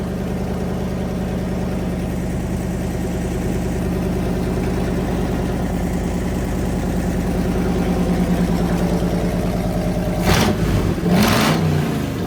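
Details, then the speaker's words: Fully rebuilt Magnum 318 V8 with 360 camshaft and roller lifters, timing set and carburetor vacuum leak fixed, during heat cycles: steady even idle with slightly lumpy cam rhythm, two clean quick blips; healthy running. "Got her dialed in pretty good. Running her through heat cycles. We thought we'd let y'all hear what it sounds like."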